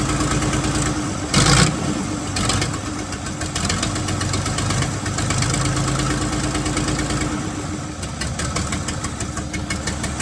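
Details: 1975 White 2-150 tractor, diesel, first start after about 19 years dormant, open exhaust: a brief cranking burst, then loud clatter with rapid, steady firing pulses; it runs on its own.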